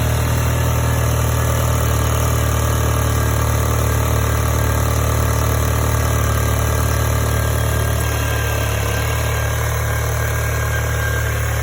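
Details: 2016 VW MK7 GTI petrol engine with 96k miles, idling: steady rapid ticking clack on top from the high-pressure fuel pump, whose mounting bolts were very loose; tightening them fixed it.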